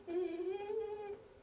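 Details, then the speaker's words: Shower-water-powered generator spindle suddenly much harder to turn: steady high squeal as the ball bearing seizes and the spindle spins inside the locked bearing. "something mechanically is way harder to turn you hear that the bearing is squeaking"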